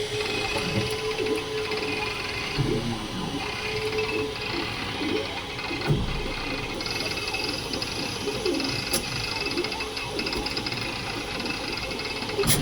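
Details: Creality K2 Plus 3D printer, about a week of use, firmware updated 2025-05-01, printing unusually slowly (owner unsure if print setting is why): wavering, sliding motor tone with scattered ticks and clicks; owner thinks it sounds different than before, cause unknown.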